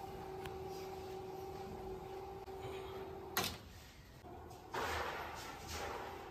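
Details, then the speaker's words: Heavy smart curtain track motor, quick-release mounted, on power-adapter test run after remote code pairing: even hum and whir for about three seconds ending in a soft stop thump; both tracks open and close properly. "Both tracks open and close properly"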